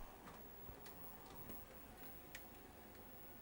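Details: 1999 Toshiba MV13J3 13-inch TV/VCR combo after no-power repair: quiet run with a few light irregular mechanical ticks as the tape threads, no grinding or straining; normal tape loading, then plays with auto tracking.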